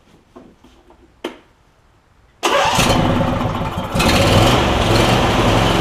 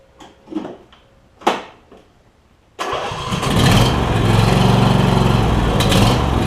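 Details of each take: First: Replacement Briggs and Stratton V-twin on a John Deere E140, unrun for probably at least three years, fuel clamp just refitted: a few clicks, then catches into a strong, even run without misses or knocks; slight smoke, possibly oil in muffler; normal running. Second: Replacement Briggs and Stratton V-twin installed in a John Deere E140 lawn tractor, reassembled with blades and drive working: after a few clanks it fires into a steady, low, slightly lazy thump; idle a little low, adjustable; low idle speed.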